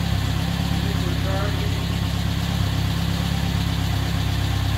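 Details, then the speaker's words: 1947 MG TC during rebuild, started without coolant in it: low, steady idle with an even soft pulse about three beats a second, no knocks or ticks; runs smoothly, "sounds like the 40s". "okay it sounds like the 40s"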